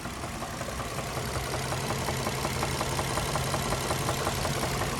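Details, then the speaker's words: Nissan 350Z just reassembled after clutch and transmission work, oil level good, idling: regular light knock about three per second over a steady idle; owner suspects a lifter but unsure, trying Seafoam. "got a little bit of a knock here it may be like a lifter could be something else"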